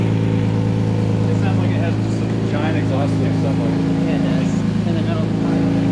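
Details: Lexus IS300 after a cheap stainless exhaust install with modified header and mid-pipe, replacing the rusted stock system and failed cat, heard on a drive: a steady, even low drone with a deep rumbling exhaust note and no ticks or rattles; healthy engine and exhaust.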